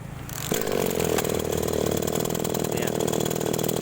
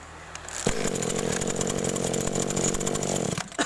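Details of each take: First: Small agricultural sprayer engine, restarted: catches within half a second and settles to a steady, even buzz with no misfires; starts and runs normally. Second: Small two-stroke agricultural sprayer engine (hard starting when cold) at idle with ignition coil recently replaced: catches, runs ragged and uneven about three seconds, then stalls; rpm possibly too low.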